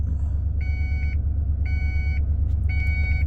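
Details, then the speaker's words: 1996 Ford F150 4x4 302 after accident repair, airbags possibly left unconnected: steady half-second beeps in sets of four, pausing about a minute, over idle; ABS light was on then off; not door or key alarm, cause unknown. "Now, the ABS light was on, but now it's off, and now I'm getting this beeping noise constantly. It does it 4 times, it goes off for a minute, and then starts"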